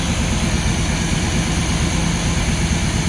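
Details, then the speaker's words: Luhrs 28 boat engine after carburetor rebuild: steady low even rumble with no misses, knocks or surges, settling into a smooth, healthy idle; normal idle. "oh let me get the keys so far it's doing good"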